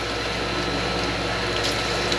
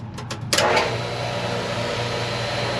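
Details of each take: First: Ranch water well pump after letting air out of the line, about 91°F outside: steady pump hum under rushing gushing water, even with no surging or sputter; primed pump delivering water normally. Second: Ranch water well pump restarted after refilling a barrel and draining water down the pipe to force it to prime: a few knocks, then a steady, even low motor hum; pump running, but whether it is priming can't be told.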